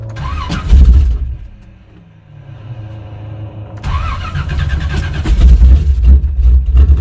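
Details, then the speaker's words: 1985 Chevrolet C10, ZZ4 350 V8, carbureted, cold start at about 45°F in wet weather after pumping fuel to carb: catches then sags nearly to stall until throttle revives it; won't idle unaided yet. "it's going to take her a minute to get the word of idle and run without me holding the throttle"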